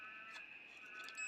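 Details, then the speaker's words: DT9205A multimeter on continuity range, red and black leads joined: steady high-pitched buzz throughout with red light on, showing a complete circuit; buzzer works. "If you join it together, hear that? Red light goes on, it's a buzzer, so it gives you a visual indication, and you can also hear it."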